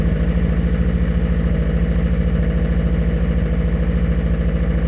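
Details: 2002 Subaru WRX, EJ25 2.6L STi hybrid built motor with forged internals, cold morning start around high 30s–40s °F: steady rapid knocking about two per second over low idle rumble, loud cold piston slap.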